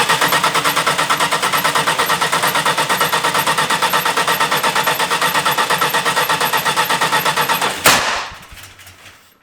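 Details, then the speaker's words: 1972 Dodge Dart Swinger Special with the 340 V8, first start in years, no choke, oil light on, cranked indoors: even cranking ends in one sharp, loud shotgun-like bang, then it runs; backfire, timing suspected about 180 degrees out, not confirmed. "Wow, that was loud. Oh my god. It's like 180 out, I bet. It started."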